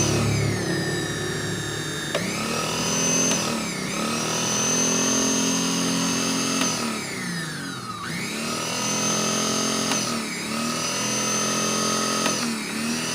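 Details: Wongdec turbo-power blender, reassembled after repair of a stiff blade shaft: motor whine sweeps up and settles at high speed several times, even and free of grinding; runs normally.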